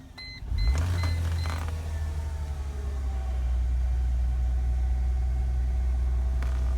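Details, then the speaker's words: Mercedes-Benz C240 with a previous crank-no-start condition, just after fuel pump replacement. A couple of chimes, then the engine catches quickly and settles into a steady low rumble at good RPM; starts and idles normally. "Huh. I knew I would get it. RPMs are good."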